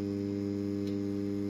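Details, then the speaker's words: Old two-channel BSE 232 equalizer powered on with LED indicators lit and no music playing, giving a steady low mains hum with buzzy overtones; the hum causes easy clipping and lights the LEDs before music. "Nah, ini udah nyala LED indikatornya dan muncul suara dengung ya."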